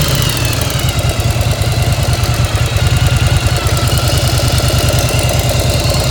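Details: 1995 Yamaha XV1100 V-twin idling warm with the choke off: a loose, uneven clank rides on each firing beat, about three a second; owner unsure whether it is normal.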